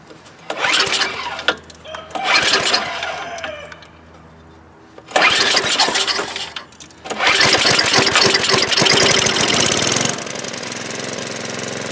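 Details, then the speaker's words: Snow blower that wouldn't start after sitting with old fuel, after cleaning the carburetor bowl, main jet and bowl nut, started on choke at full throttle with primer: several pulls, catches, revs high, then settles to steady even idle. "oh yeah baby we're back in business and that's really all there is to it we simply cleaned out the carburetor Bowl in the main jet the bow nut put it back up and she wants to run again"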